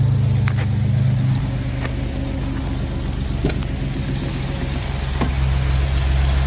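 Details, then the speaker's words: 2008 Chevrolet Express, running briefly with no coolant: steady low idle rumble, even beat, no knocks or exhaust ticking; lots of old oil burning out of the exhaust; normal idle. "I really can't run it too long because I don't have the coolant and stuff hooked up to it, but it's running."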